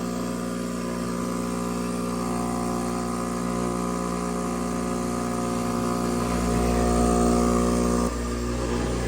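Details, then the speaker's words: Roughly 40-year-old Fluoromizer 3500 recovery machine after its first condenser cleaning: steady, even compressor drone, still sucking and restarting right away with no straining; owner suspects its earlier failure to start on a roof came from bad power over a 100-ft cord. "Still sucking, running. Restarts right away. No issues."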